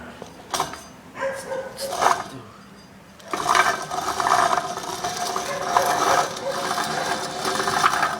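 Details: Rear hub with bearing from a 2003 rear-wheel-drive Ford Explorer, spun by hand, giving a rough gritty rattle and grind; the worn wheel bearing had made the car sound like an airplane.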